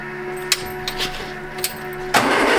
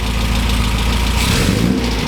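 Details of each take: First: 1967 MGB GT, positive-earth, after sitting for weeks: starter cranks steadily at about four beats a second in two long bursts, never firing; crank no start. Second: 1967 MGB GT four-cylinder just started after sitting: steady even idle, regular low putter, no knock or misfire; oil pressure low at first then up to 50 psi; running healthy.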